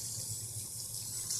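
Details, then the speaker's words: BMW M57 diesel freshly installed, at first start: a steady low hum with trickling coolant as the electric coolant pump runs normally, purging air from the cooling system. Bubbles in the line clear. "Так. Ну да, это гудит именно насос. Именно насос системы охлаждения."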